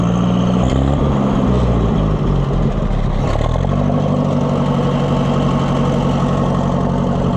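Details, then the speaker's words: Oliver 550 loader tractor, long abandoned, just fired: speed sags and nearly stalls, then surges back; owner says it sounds better with the choke pulled out; rough, uneven running. "Sound like you are. Why are you sounding like that? Pull the choke out and it sounds better."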